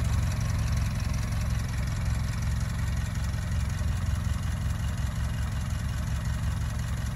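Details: Barn find Ford Model T farm truck, first start in years after simple repairs: low, steady chugging idle with an even rhythm and no knocks or rattles; normal idle.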